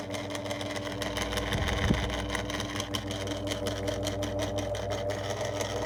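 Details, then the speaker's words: 2002 Lloytron F029 9-inch desk fan on low speed with very little grease: a low, uneven growl with a faint rattling flutter over the motor hum; owner suspects the motor is losing connection; rough-running fan motor. "Usually one of these if the other one is even better than this, it'll just start up and run smoothly. So it's low speed and that is terrible."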